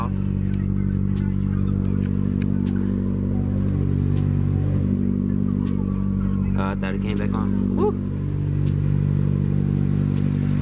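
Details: 2015 Chevy Cruze LT after valve cover/PCV valve replacement that cured rough idle, whistling air leak and check engine light: smooth steady low hum, even rhythm, no knocks, ticks or stumbles; normal idle.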